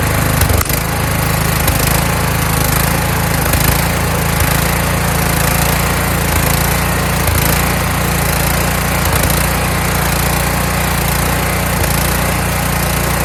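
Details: Kohler Courage engine on a tractor, after a donor-motor carburetor swap whose choke springs back by itself; winter, engine cover off. Steady, even drone with a strong low rumble and only faint periodic wavers; running smoothly after the carburetor swap.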